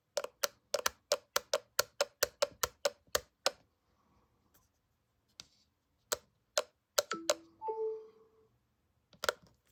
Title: Apple MagSafe Battery Pack - Clicking Sound